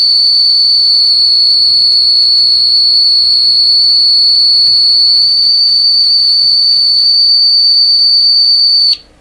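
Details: Deforest 10DA517 AM radio: steady high-pitched squeal of constant pitch that cuts off abruptly; set is oscillating, cause not yet found, and added shielding made no change.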